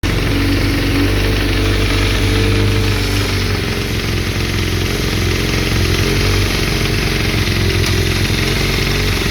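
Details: 1992 Suzuki GSX-R 1100 four-cylinder at idle: rough, uneven clatter riding over the exhaust note; abnormal engine noise of unknown cause.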